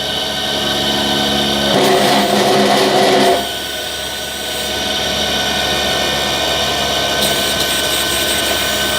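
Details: Replacement 12 V DC air conditioner compressor drawing about 13–15 A, amperage rising as air is opened and load builds; steady electric motor whir with brief harsh drill-like burst, hum holds — compressor running normally under load.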